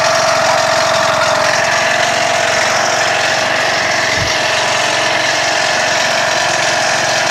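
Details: Toro Wheel Horse lawn tractor with rebuilt 21 hp engine, after sitting some time, started on choke: small engine settles into a steady even idle with high mechanical buzz; runs clean and healthy.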